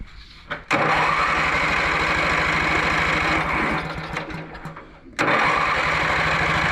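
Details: Lawn mower in for won't-start (owner was jump-starting at the starter), cranked after rain despite a supposed earlier grounding fix: even compression pulses, pauses, cranks again, never fires; ignition coil found shorted to ground, later replaced with a new coil.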